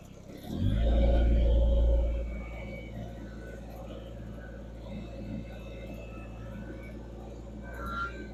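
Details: Kubota BX2360 diesel tractor after losing power in sub-zero cold, refilled with fresh fuel and primed about 30 seconds after bleeding lines: cranks briefly, catches with a loud burst, settles into steady even low idle, no misses or knocks; normal start and idle.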